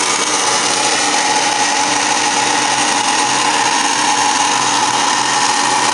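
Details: Furnace at start-up: a high, steady whirring with a faint grind and no low rumble, like a motor spinning up noisily.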